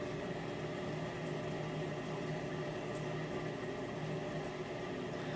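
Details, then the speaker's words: Miele dishwasher during wash cycle while circulating water: steady loud rushing hum with low drone throughout; loud water circulation noise, owner believes circulation pump or its motor, not certain. "I said I believe it's the circulation pump not a hundred percent sure that I think it must be something related to that if not the circulation pump or the motor"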